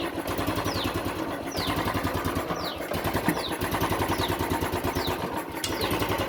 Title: Royal Enfield classic 350 bullet unstable RPM ignition problem engine misfiring EFI engine RPM slow